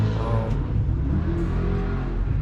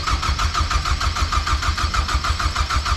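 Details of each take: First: Little truck with throttle blipped: short, even low growl with no rattles, knocks or stumbles; the engine revs normally. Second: BMW cranks steadily, about three turns a second, with no catch or rise in speed; it turns over but never fires. Crank position sensor fitment questioned and a filter housing leak noted; cause unconfirmed.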